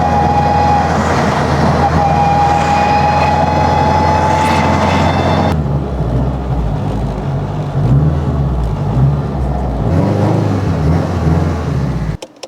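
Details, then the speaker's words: 2021 Honda Civic Type R with freshly rebuilt engine, driving: clear, steady high whine rising slightly with speed, then dropping off load. Normal straight-cut transfer gear whine, probably doubling transmission loudness. "I would say the straight cut transfer gears made the trans probably twice as loud it's such a good sound though I love how it"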